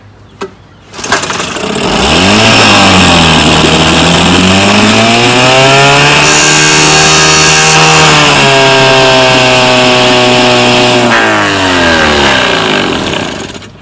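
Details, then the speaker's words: 1967 Evinrude 3 hp outboard, model 3706C, with cleaned carburetor jets after it needed choke to run. It revs up smoothly and holds a steady two-stroke buzz unchoked without stumbling, then winds down: normal running. "That's what it's supposed to do. It's supposed to be able to run unchoked."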